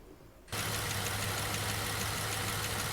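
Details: Jeep JK Wrangler Unlimited Rubicon 10th Anniversary edition, Pentastar V6, 228,000 miles, at idle during before-and-after testing of a Liqui Moly hydraulic lifter additive: engine settles into a steady idle with a light, quick lifter or rocker tick on top.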